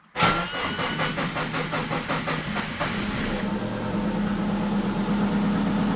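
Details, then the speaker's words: Twin-turbo Subaru Forester with wiring problems, throttle position sensor refitted and tacho not sweeping: starter churns with a fast, even chug for about three seconds, then a steadier hum, but the engine never fires; crank, no start. "Not getting anything now. It's not liking me."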